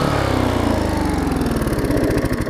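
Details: Vulcan 18" mower's 3.8 horsepower two-stroke, revived with a new intake pipe and a freed rusted flywheel/magneto, pulls strongly and evenly with a steady buzzing beat, no misses or surging; running healthy.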